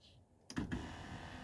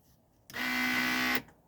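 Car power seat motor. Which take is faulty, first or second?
second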